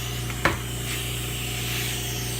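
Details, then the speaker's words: Vacuum pump on a homemade CNC router vacuum grid holding plywood, gauge at 8.5. Steady pump hum with an even airy hiss from a small leak somewhere, though holding is still ample. "Mais là, on entend, là, j'entends que j'ai une petite fuite à quelque part, mais je suis quand même."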